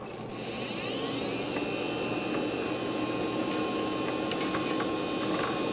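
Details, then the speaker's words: Socket 7 computer's Quantum hard drive: rising spin-up whine then scattered sharp clicking ticks as heads retry; drive is bad and fails to initialize. "the uh hard drive is bad I can tear it clicking around and trying to initialize itself"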